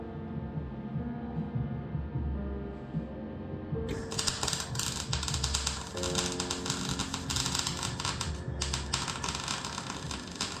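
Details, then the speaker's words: MIG welding front-end panels on a 1990 classic Mini 1275cc auto (Project KITT): a steady crackling sizzle with no harsh pops or spitting, wire speed and power set right, and no holes blown through; normal welding. "sounded pretty good sounds like he's got the wife speed setting and the power sitting right on the world are there it's not spitting back too much getting that nice sizzling sound from the welder"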